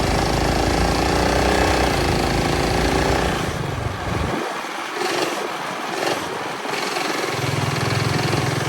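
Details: Early-1970s Pacesetter Trailbuck mini bike on a test ride after fitting a new torque converter not set up for jack-shaft use; small engine holds high revs then sags, and the bike won't climb to speed. Torque converter slipping.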